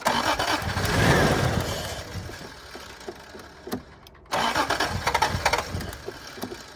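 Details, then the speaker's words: 1986 Toyota Supra: repeated cranking bursts, engine catches briefly, stumbles and quits; owner suspects a fuel problem, possibly no gas in the tank. "Sounds like she's gonna run. Sounds like she's just missing a little fuel problem."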